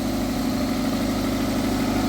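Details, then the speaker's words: Toyota MR2 Mk3 with new battery and previously repaired exhaust manifold, warming up from cold: steady, even idle with a smooth low hum and no knocks, ticks or misses; sounds healthy. "And so far, everything sounds good."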